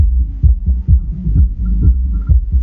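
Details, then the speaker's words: Hifonics Brutus BXI 1606D car audio amplifier on the bench after inspection for shorts, powered with RCA music input: thumping sub bass with irregular crackly breakup on beats; amplifier output still crackling, cause unknown. "Et il cracote toujours. Il cracote toujours."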